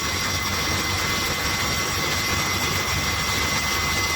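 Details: Refrigeration condensing unit after cleaning its dirty condenser, condenser fans and compressor running, about 40 degrees: steady fan rush with a faint constant tone, no rattle or labouring; normal running.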